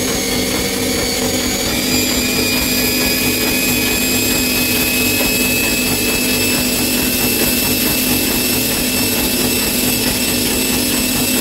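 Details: Bosch Maxx 6 washing machine at high spin after motor bearings were replaced, drum bearings still good: loud constant roaring rush with a high whine on top; excessive drum noise, owner concludes the drum is broken.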